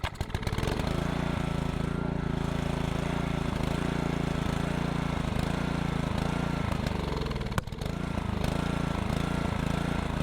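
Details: Old Honda GC160 pressure-washer engine swapped onto Troy-Bilt Horse tiller chugs unevenly, dips and stumbles then recovers; keeps cutting out. Owner plans new coil and spark plug, suspects fuel pump can't keep up.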